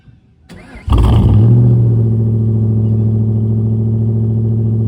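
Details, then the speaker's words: SN95 engine started after battery reinstall, running a Seafoam fuel treatment: starts on the first crank, then idles with a slightly uneven, lumpy beat of about 3.5 pulses per second. Rough idle, improved and easier starting; owner hopes Seafoam clears the injectors, cause unconfirmed. "It is idling a little rough still, but it's better than it was the other day. And it started up a lot easier, so that's good news."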